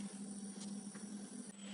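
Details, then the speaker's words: Refrigerator control board that switches on when cold and off when warm. A steady thin whistle above a constant low hum; electrical whine from the board, exact source unclear. "что я обнаружил на плате такой вот звук издаётся пищит свистит такое похоже"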